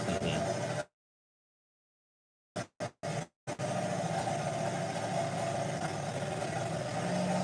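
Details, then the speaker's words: Project Mustang engine warming up before a timing adjustment: uneven, lumpy loping idle with brief dropouts; owner suspected timing was off; shortly after it squeaked to a halt and would not turn over. "Here it was running kind of rough. It had a rough sound. I thought the timing was off."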